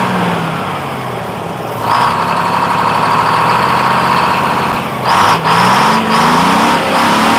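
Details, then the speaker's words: 1948 GMC Silversides Greyhound bus, 6-71 two-stroke diesel just after in-frame rebuild, first start, rings breaking in. Even drone with quick blips that climb and settle cleanly, no knocks or misfires; started smoother than ever before and runs smooth. "Runs smooth. Runs, that's smoother than it's ever started before, and it runs nice and smooth. I can hear the difference already."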